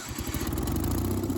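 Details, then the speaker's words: Miller AEAD 200LE gasoline welder/generator, sat about 15 years, after carburetor cleaning and fresh gas, restarted on generator output: steady even low thump with no misses or knocks; normal running. "starts right back up. So I'd call that a pretty good success."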